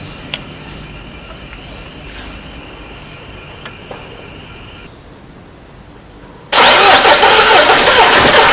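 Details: Peugeot 307 2.0 HDi common-rail diesel that stalled while driving and wouldn't restart: quiet ticking, then starter churns loudly and evenly without the diesel catching; long crank, no start, cause unknown, scanner check next.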